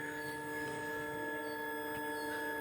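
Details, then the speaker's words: 2020–21 Hero HF Deluxe fuel-injected BS6 bike, key-on: in-tank electric fuel pump, controlled by ECU under seat, gives thin steady whir for almost three seconds then cuts off cleanly; normal fuel pump priming. "इसके टंकी के अंदर motor है, जो एक बार मैं आपको सुना देता हूँ। पंप लगा होता है, बेसिकली फ्यूल पंप।"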